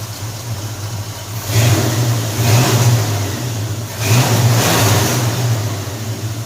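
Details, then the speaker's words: 1978 Chevy C10 350 V8 after new Edelbrock intake and cooling parts, previously cutting out and popping through the intake on throttle: two clean throttle blips from a deep even idle, revs rising and falling crisply, no stumble; torquier, more responsive. "See, the motor torques now. Some more responsive."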